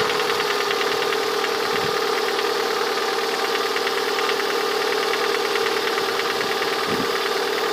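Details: Lada 21126 engine at steady idle with a faint, slightly uneven tapping knock over the hum, heard most clearly near the end of the recording; the owner asks what the sound is, cause unknown.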